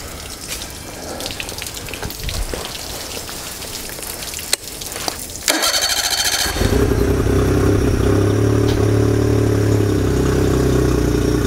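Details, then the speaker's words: 2004 Honda BF40 four-stroke outboard, repaired after sinking, first start with fuel: cranks briefly, catches, then settles into a steady even idle with no misses or knocks; normal start and idle. "that wasn't too bad well I got to say I'm pretty stoked about that that was literally the first time I'd turned the key in Anger with fuel on"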